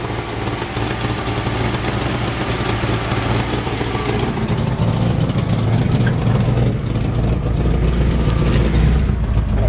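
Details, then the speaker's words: 1951 Ford F1 short bed with Chevy 350 V8, Quadrajet carburetor and Cherry Bomb mufflers at idle: loud lumpy deep throb with a faint puffing tick under it; small exhaust leak. "look at this it's got a little bit of an exhaust leak you can hear it"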